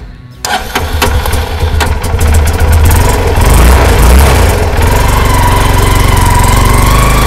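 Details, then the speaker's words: Karizma motorcycle after chain properly fitted to cure a body noise: fires up and settles into even idle with a couple of blips; no metallic rattle from the chain area. "और यह problem चैन dot को अच्छी तरह से fees करने से problem दूर हो गई"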